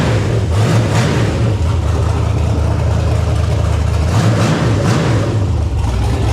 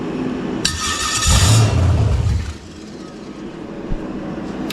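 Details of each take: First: Carbureted V8 on a run stand, running after the problem was traced to too much carburetor (a jetted 670): deep steady rumble at an even idle, 50 psi oil pressure, no stumbling or dying; running properly. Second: Carbureted engine on a run stand with an eBay carburetor, bowl refilled: it cranks, catches with a brief rough roar and dies within two seconds; acts out of fuel though it squirts plenty; owner suspects fuel delivery, stalling rich.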